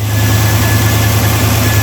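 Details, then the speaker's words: 1965 wagon V8 with a newly installed 700R4, idling rich after vacuum leaks were fixed: a steady deep rumble with a thin high-pitched buzz first suspected as an electrical zap, found to be the PCV valve vibrating. "oh actually it's this thing it's the PCV valve vibrating"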